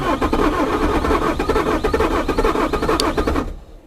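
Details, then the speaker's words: Bobcat T595 skid steer diesel, frozen solid and neglected, after a dead battery was replaced: slow, uneven cranking at about two strokes a second, dragging on compression and never firing; cold or failed glow plugs suspected. "That engine just really sounds like it's struggling to turn over. I would suspect, I suspect it's just really damn cold. And it's possible that maybe the glow plugs aren't working."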